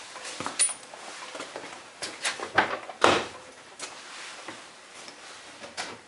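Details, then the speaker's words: 1998 Ford Contour, about 161,000 miles, car on its wheels, steering wheel rocked in quiet cabin: faint irregular clicks and clunks, about two a second; play in the tie rods, worn inner tie rod. "i shook the steering wheel and sure enough i could hear play in the tie rods when i was shaking the steering wheel"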